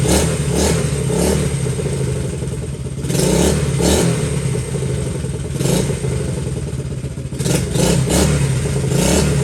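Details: Honda XL70 K0 small single-cylinder bike after restoration: runs steadily, blipping up and settling back each time, even firing, no knocks or rattles; normal running.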